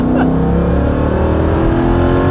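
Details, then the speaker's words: Mercedes E55 AMG wagon, body panels off, with new heat exchanger, coolant pump and custom intake, full-throttle 0-60 run on a cool day; clear rising supercharger whine climbing with revs; normal, healthy. "I don't know if you guys can hear that but it sounds much cooler"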